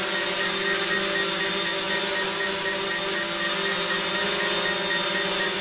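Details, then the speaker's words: DJI Mavic Pro on its first indoor flight, relying on its vision positioning system, with a steady, even high-pitched prop buzz and no wavering: a normal, stable hover. "let's bring it back [Music] we'll put in here and you can just see that it's actually maintaining a pretty nice hover"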